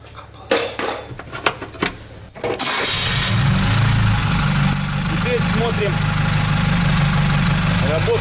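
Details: VAZ 2107 that stalled while driving and would not restart, after revival and adjustment: a few clunks, then catches and settles into a steady, even idle with no knocks or misses; crankcase check shows little blow-by, healthy engine.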